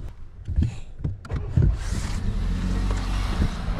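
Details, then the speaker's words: Volkswagen T-Cross automatic, 999 cc 1.0 injection petrol, 110 hp, 200 Nm, 2,000–3,000 km; start with an ugly scrappy clatter, then steady slightly rough fast idle that settles. Normal cold start, quiet from inside. "Alors il y a un cold start qui va se calmer un petit peu."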